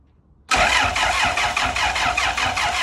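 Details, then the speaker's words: Car on axle stands, first test start after engine work, auxiliary belt and cooling not fitted, fuel about half a tank; starter spins at an even quick beat for several seconds but never fires; no fuel pump priming heard, owner suspects no fuel: crank no start. "Okay. I cannot hear the fuel pump priming when I'm in there. So it might not be getting fuel."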